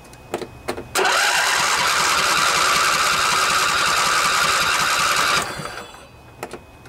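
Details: Craftsman DYS 4500 riding mower, 24 HP Briggs & Stratton Intek twin, after storage and a full service with the tank cleaned and the drained carburetor refilled. It catches and runs steady and even for about four seconds without misses, then shuts off cleanly.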